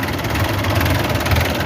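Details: Isuzu 4BA1 diesel after work on hard morning starting and misfiring from air entering the feed pump line: steady, even idle with smooth low rumble, no misses or knocks; engine healthy.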